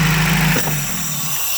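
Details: 1993 Toyota pickup 22R engine with high idle or surging idle: raised, steady idle that never settles to normal tickover; fast idle valve suspected stuck open.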